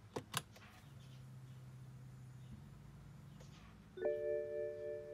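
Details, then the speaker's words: BMW F10 535i N55, start/stop button pressed with brake: couple of sharp clicks, faint electrical hum and dash chime, no cranking, ignition malfunction warning; bad starter. "just want to show you the symptoms of having a bad starter"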